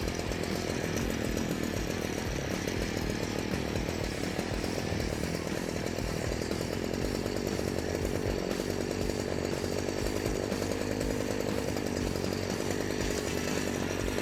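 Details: STIHL FC 56C edger at full throttle after a teardown and rebuild for not reaching full throttle, with the air filter cleaned and the spark arrestor checked. High-revving two-stroke buzz holds steady and even, with no surging or bogging; healthy.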